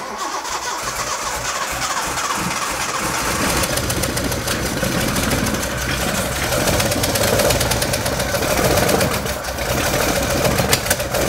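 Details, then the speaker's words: Home-built Datsun 240Z, first start after setting distributor to factory standard timing: engine runs lumpy and uneven, stumbling beat; misfire because the number one spark plug was left out. "it would help if I put in the number one spark plug again that might make a bit of a difference"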